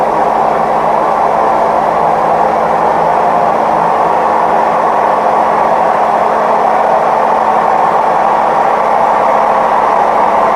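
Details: Maytag Neptune MAH19 washer, unlevel with feet stuck, ramping to max extract spin: loud steady low roar with a constant hum; worn drum bearings.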